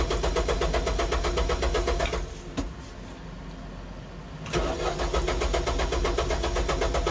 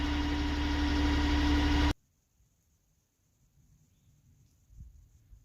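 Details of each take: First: Tractor, hard starting after the fuel system ran dry: long steady cranking at about four beats a second, draining the battery, with key left on to let the electric fuel pump prime; it finally catches and idles. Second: Tractor back running after it ran dry and needed a long crank with the electric fuel pump priming; settles into a steady, even idle with a smooth low drone and no knocks before cutting off. Normal idle.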